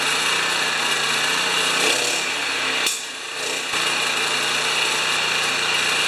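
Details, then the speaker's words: Honda HRA214 mower after a lean-running spark plug and carburetor rejetting of the main jet; holds a steady, even drone with one brief dip in load, running cleanly. "Okay, it's running better."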